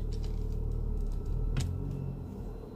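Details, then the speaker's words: 2011 BMW 335i: steady low buzzing drone with faint thin whistle over idle, present only in drive and when pressing the gas, stopping in neutral; began while parked with a jumping feeling, source not yet found. "So it's doing it as I hit the gas. So it's really strange. It just started doing it while it was parked. So when I put it in neutral, it stops. On drive, it's doing it again."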